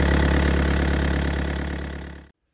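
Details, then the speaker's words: Yanmar VIO55-5B excavator diesel after fuel filter and water separator service, warmed 10 minutes to operating temperature: deep, even idle then shutdown, smooth with no knock or miss, no fuel leaks; normal idle. "So we just ran it for 10 minutes till the engine temperature came up to normal operating temperature. Ran smooth, no problems"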